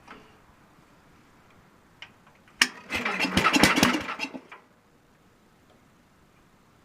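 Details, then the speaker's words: Super 12 hydro on a cold start with no spark: one short two-second burst of cranking, no firing or pickup; it turns over but won't start, the owner suspecting a dead battery and possibly low fuel. "But it'll start if I keep turning right. See? Sounds like the battery's dead. It's weird."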